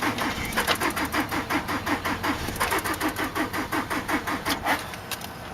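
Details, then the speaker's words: 2003 Nissan Altima 2.5 with blown engine, sat 8 months, jump-started from another vehicle: starter churns evenly about three beats a second but never fires; too little compression, flywheel reportedly bad too. "UNFORTUNATELY, THIS ONE JUST WON'T FIRE. IT DOESN'T HAVE enough compression to engage."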